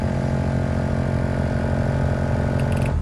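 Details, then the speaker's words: 1996 Lexus GS300 heater/AC blower motor behind dash, before replacement: weak airflow on speeds one and two, loud rough droning buzz on three and four shaking the dash, then cuts off. Cracked blower fan wheel. "on one it doesn't really feel like it's even blowing air on two still doesn't really feel like it's blowing air maybe a little bit on three it starts getting loud then on four it's really loud"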